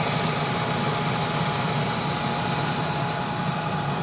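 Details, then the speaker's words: Country Smokers pellet grill after its fire-damaged temp probe was replaced, holding about 200–210 on smoke setting P7. Steady, even fan whoosh with a low constant hum and no rattles or scraping; fan and auger are working normally. "yeah okay Audrey and everything else is working"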